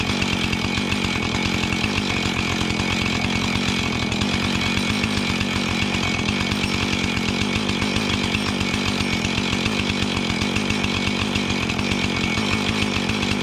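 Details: Junk-pile Husqvarna 445 XTorq chainsaw, reassembled from pieces with glued leaking fuel tank, coil found good: steady high two-stroke buzz held while cutting, no bogging or surging; normal running under load.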